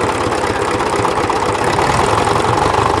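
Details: Old diesel tractor idling: low even chug, no knocks or rattles; oil pressure light flickers at low idle once warm and stays on when hot; turned out to be a faulty oil pressure sending unit.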